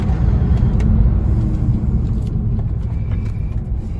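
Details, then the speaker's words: Turbo VW Beetle on a test drive after a blown fuse was replaced; steady low engine drone under road rumble while cruising, no warning lights, no knocks, ticks or whines, the engine sounds healthy. "no lights on cars running great don't hear anything that doesn't sound right"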